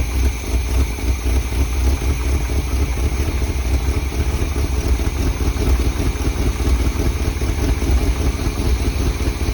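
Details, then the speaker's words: 1978 Chevy K20 4x4 three-quarter-ton Camper Special V8, sat outside 13 years, running on dirty oil, idle raised: deep lumpy idle with dropped beats breaking the rhythm; bad miss; engine misfire at idle. "yeah it's got a bad mess check the transmission"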